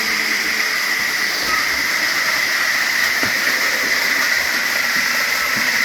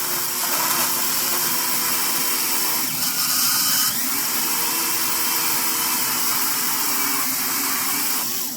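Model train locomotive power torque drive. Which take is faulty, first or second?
second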